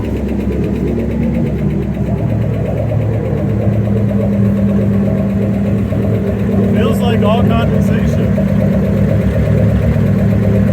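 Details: '67 Ford F100 with a 5.7 Hemi and Eagle heads and pistons, fitted with a new turbo, at its first run after the dead coil drivers were replaced; it idles with irregular valvetrain tapping, and the pushrods are suspected too short.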